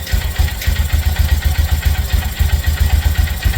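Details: 2018 Textron (Arctic Cat) Prowler 500 first start after jumped-timing repair and valve lapping, no dash codes: low, even thumping idle about four pulses a second, no knocks or misfires; normal idle.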